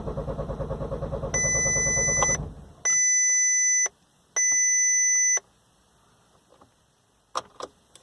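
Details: 2011 VW Golf TDI, CJAA diesel: starter cranks in an even chug of about two and a half beats a second, then stops with warning chimes; engine never fires, crank no start.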